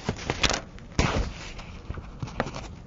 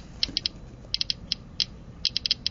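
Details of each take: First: Geiger counter with polonium-210 alpha source blocked by folded paper: only a few scattered irregular clicks remain, the slow random count of natural background radiation. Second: still no change in the clicking rate so gamma particles are not blocked by aluminum foil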